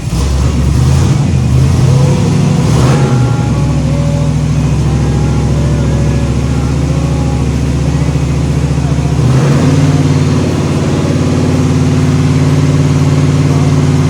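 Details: Freshly rebuilt 409 small-block Chevy V8 in the Little Red shop truck, restarted after timing was set: deep, steady burble with even firing and smooth throttle blips; running clean and healthy.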